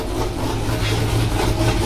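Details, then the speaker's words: Big-cam engine with a badly done tune, before cam removal and retune: low uneven loping idle that chops and stumbles irregularly; rough idle from poor tune. "Now it's chopping. It don't sound too shabby. It's chopping."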